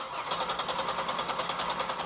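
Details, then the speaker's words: Buick LeSabre 3800 that sat a long time, crank no start; steady starter cranking at about eight beats a second that never catches, fuel pressure gauge on the Schrader valve reads nothing, cause unknown (voltage or pump), later found to be fuel pump. "awesome yeah we have nothing we have no fuel pressure up there now we don't know if it's voltage we don't know what's going on with the pump"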